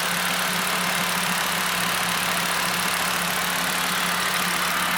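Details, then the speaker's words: 2.5L VW MK6 Golf after rebuilding the PCV valve with a new diaphragm and spring, which had made idle run funky: steady, even idle hum with no hunting or stumble; normal idle. "so there you go if you're having idle problems definitely check into the pcb valve"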